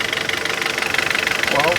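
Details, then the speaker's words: 2014 Kia Cerato, owned about two years, cold idle, no oil or coolant loss and no smoke: quick even tapping keeping pace with engine speed; knock of unclear cause, mechanics variously suggest piston, valve adjustment or pulley. "Uns fala que é pistão, outros falam que é válvula desregulada, outros falam que é polia, outros um monte de coisa, um monte de coisa."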